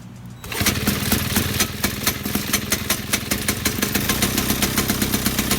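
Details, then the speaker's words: Vintage Pioneer chainsaw spun over with a drill after sitting with old fuel, with its recoil spring broken: steady, rapid, even chuffing with no knocks or scraping. Compression sounds fine, though it needs a carb kit. "it didn't sound too bad just need to get a few things for it in a carb kit"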